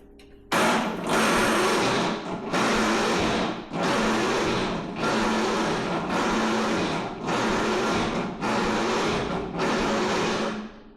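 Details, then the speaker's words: MTD Yard Machines riding mower, 13.5 hp Tecumseh engine, not running for about 2 months, cold snowy day: starter whirs in about eight one-second bursts, engine turns over sluggishly, never catches; slow cranking, no start, owner suspects starter or valves. "Now I'm thinking it's either the starter or it could be the valves. I'm gonna work on the valves next."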